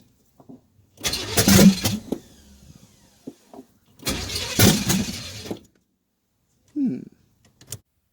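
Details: Camaro V8 with a newly installed fuel system: two roughly one-second bursts of steady starter cranking, and the engine never catches. Fuel supply suspected: it is tried next with fuel and appears to be out of fuel.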